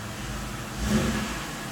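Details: 1999 Pontiac Grand Am 3.4L V6, after a fuel pressure regulator install to cure a stuttering rough idle: engine blips and settles to an even, steady note with no stumble; now running smooth and normal.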